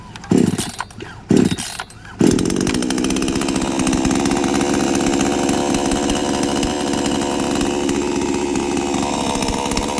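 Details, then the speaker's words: New-model 5800 chainsaw with 11.5-inch bar being started with choke pulled: a few short pulls, then it catches, choke pushed in, and it settles into a steady, even two-stroke buzz with no misfire, healthy running. "มีเสียงเหมือนจะติดนะครับให้ดันโช๊คเข้านะครับหรือว่ากำเร่งโช๊คมันจะเข้าไปเองนะครับก็สตาร์ทต่อได้เลยครับ"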